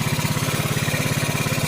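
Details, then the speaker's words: Single-cylinder motorcycle converted from injection to carburettor with a Shogun CDI, battery about to be disconnected to test that the CDI still gets 12 V: quick, even idle with steady low pulses, firing cleanly; normal idle. "Harusnya kalau rangkaian sudah benar motor ini akan tetap hidup. Karena apa? Arus 12 volt ke CDI dia didapat dari sini."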